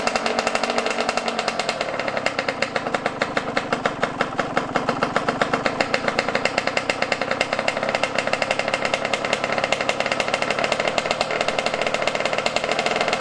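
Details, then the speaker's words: Yamaha YZ125 two-stroke at about 20 degrees outside: rapid, raspy crackle that wavers and stumbles instead of holding steady while carb air screw and idle are dialed in; owner suspects the carburetor after touching it, unconfirmed. "i knew it was something with this carburetor though cause i touched it like i touched the car right i touched the carburetor and she was acting weird after that"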